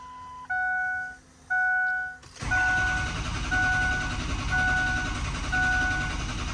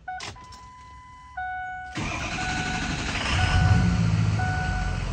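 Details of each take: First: 2003 Ford F-350 6.0 Powerstroke with ICP-too-low codes and loss of base oil pressure. A few quick beeps, then a steady cranking churn with a faint chime about once a second. The diesel turns over but never fires; injector control pressure is extremely low. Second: 2003 Ford F-350 6.0 Powerstroke, 105,000 miles, new high-pressure oil pump and ICP sensor, restarted after sitting about 30 minutes post-repair: warning chimes, brief crank, catches at once into a steady idle; oil pressure comes right up; normal start.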